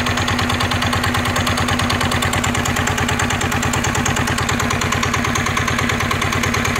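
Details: NF19 single-cylinder diesel, original and unmodified: even rapid thumping with a clean steady beat and no knocks or rattles; smooth, vibration-free, healthy.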